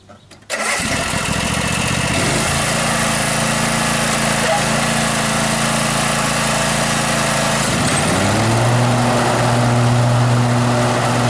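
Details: Cub Cadet Z-Force S 48 mower after replacing deck spindle housings, pulleys and blades (center grease fitting replaced): catches first try, steady even run, blades engage with smooth hum, no knocks or rattles. Normal running after repair.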